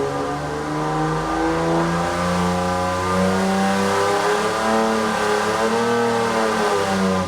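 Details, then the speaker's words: Mildly modified AMC 258 straight six on a dyno at full throttle after advancing total timing from 34 to 36 degrees: strong, smooth pull climbing in pitch with no misses or knock, sounding better; about 217 lb-ft. "since the jump to 34 degrees total timing worked so well we're gonna advance it to 36 degrees total timing for the next run wow it sounds better yeah way better"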